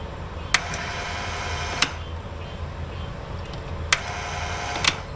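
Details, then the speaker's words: Long-EZ aircraft EFII fuel boost pump being primed with 100LL fuel to fill and lubricate its gears: a low even hum with no surging, a few handling clicks; pump runs smoothly and is considered primed. "It's sounding pretty smooth now, and I'm going to call this primed."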